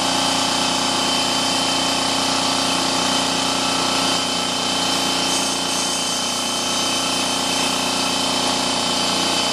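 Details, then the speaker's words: Husky 33-gallon air compressor filling to 50 psi (about 75–90 seconds): steady motor hum with even pumping pulse around three per second, consistent and relatively quiet; healthy. "you can hear it's relatively quiet it doesn't take very long to fill"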